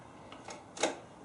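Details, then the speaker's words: Victory Cross Country motorcycle after grip replacement, throttle being adjusted: a faint tick, then one crisp snap as the throttle body closes in a quiet room; the throttle opens fully and springs back freely. "Adjust your throttle. You want to hear you can hear the throttle body closing, and make sure it's opening all the"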